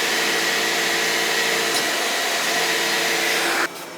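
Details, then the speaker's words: Beckett oil furnace power venter after service and reattaching a flopping draft damper; steady blower whir still shaking, though less than before; worn motor on a rotting base needs replacement; power venter motor vibration. "Not crazy noisy, but it's definitely got some doing the funky chicken out there. Not as bad as it was though, but it needs a new motor."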